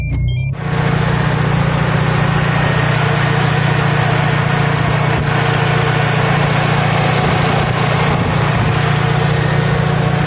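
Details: Fiat Punto petrol engine, in a repair of idle shaking from a one-cylinder misfire involving HT leads and spark plugs, idles with a steady low hum and no stumble or misfire shake; normal idle.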